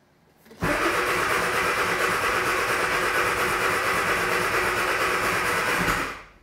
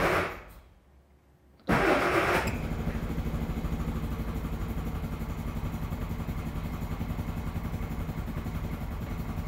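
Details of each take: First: Classic Mini turbocharged A-Series engine, cold start on choke after new spark plugs: catches at once and settles into an even, slightly fast run with no misfire or knocking; normal cold start. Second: Classic Mini with turbocharged A-Series engine, first start from cold on choke: cranks briefly, catches, then settles into an uneven, lumpy low beat; rough running traced to a slightly rich carb and fouled spark plugs.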